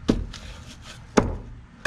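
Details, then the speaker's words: 2001 Honda Accord, wheel off: sharp metal-on-metal clunks as the upper control arm is rocked by hand; worn bushing causes the popping heard on every throttle and brake application. "that right there is metal on metal that's what it sounds like so every time you give it gas it would pop every time you would break it would pop"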